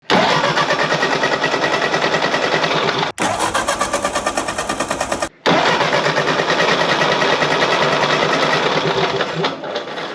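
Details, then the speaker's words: 1948 Ford 8N tractor after a routine tune-up with new ignition parts: even starter cranking at about three pulses a second, never firing; ran before, now a no-start. "Well, this is a problem, because before I started working on this Ford 8N, it ran. And after what was supposed to be a pretty routine tune-up and videoing it for a video, now it won't start at all."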